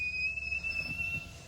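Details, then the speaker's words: Pre-refresh Tesla Model X, power window closing: thin, steady high squeak over a quiet cabin while the glass travels; owner thinks this window makes the squeak, cause not evident. "all windows are fully automatic and i think it's also this window that makes a squeaky noise"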